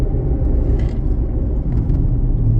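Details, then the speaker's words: 2004 Jeep Liberty on the move: deep droning rumble with nothing sharp on top, worse when turning toward passenger side; passenger-side wheel bearing suspected, not confirmed. "there you go turning towards the passenger side the noise gets worse um so when you turn towards the passenger side if it gets worse I think that means it's the passenger side wheel bearing"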